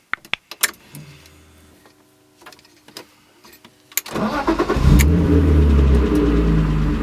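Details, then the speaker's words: BMW E36 with a recurring no-start that only started on a jump, battery suspected; after fitting a new battery it cranks briefly, catches cleanly and settles to a steady idle, a normal start. "you come see ya startup fine um guess I just needed to change the battery"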